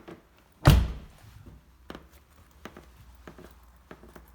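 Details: BMW G30 at 13,667 km: heavy door thunk then short dry creaking clicks when opening, closing and pressing the door trim panel, a door creak on a nearly new car.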